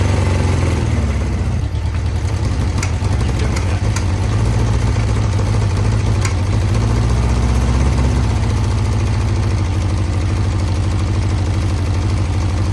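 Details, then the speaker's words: 1982 Honda CB650, first start after a carburetor rebuild with velocity stacks fitted: deep, even idle that holds steady with no stumbles or dropouts; normal idle. "Sounds it like, runs. Sounds like a run to me. Yeah, it does."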